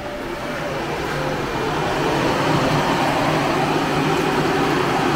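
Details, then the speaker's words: Newly installed extra external condenser fan on a Perodua Alza, wired with relay, fuse and socket, switched on by button with ignition on: spins up over a couple of seconds to a steady even whoosh, no rubbing or ticking. "So kita on kunci. Ok, lepas tu kita tekan button. So kipas tu dia akan pusing lah."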